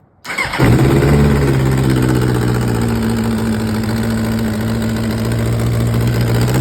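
Bike fires and settles into a rough, raspy idle with uneven puffing chuffs and a blip; that sounds like a sizeable exhaust leak.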